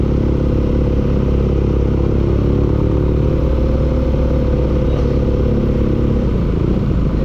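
Loud steady engine run with a coarse, regular clatter riding over the low rumble throughout; knocking present, cause undetermined.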